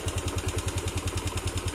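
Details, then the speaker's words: Old Yamaha Mio Sol scooter after carburetor rebuild with new needle and reset float, previously leaking, flooding, stumbling at low rpm; now idles steadily at about eight beats a second without throttle, no stumbling; normal idle. "Jadi ini sekarang saya hidupin ya, sudah saya ganti jarum, terus saya setting pelampung. Oke, sudah langsam ya, tanpa digas langsung hidup."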